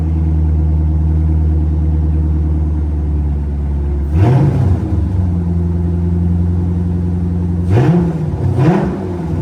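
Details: C5 Corvette V8 after rodent-infestation cleanup and rebuild, first fire-up: deep steady idle with three clean throttle blips rising and falling smoothly back to even idle; healthy.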